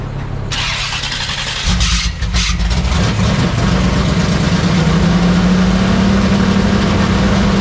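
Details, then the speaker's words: 1972 Sport Wagon drag car V8, with an electric water pump running before track day, fired up again: brief crank, catches and settles into a deep, steady, even idle with no misses or knocks; sounds good, normal start and idle. "Send it. Whoopa. Whoopa. Dude, sounds good. Yeah, it does."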